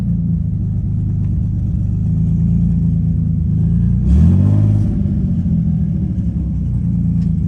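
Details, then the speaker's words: 2005 Nissan 350Z, 69k miles, VQ35HR swap, first run since 2018, coolant being bled, fuel pump sounding weak; steady even low idle rumble with one quick rev blip settling back cleanly; engine runs healthy. "running for the first time since 2018. It's now 2025."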